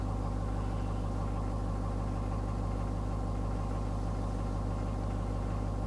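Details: Ford 6.7L diesel cold start at about 45°F ambient, after sitting all day: steady, even idle clatter about three pulses a second, no knocks or misses; the low-oil-pressure fault doesn't occur cold: normal cold idle.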